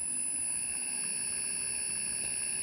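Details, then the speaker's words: Motor driven by WEG CFW500 frequency inverter in multispeed mode (presets 10, 20, 35, 55 Hz): quiet steady thin high whine, little low rumble; normal characteristic inverter hum at reduced speed. "Provavelmente você percebeu aí ao fundo do vídeo o zumbido característico de partidas e por inversores de frequência"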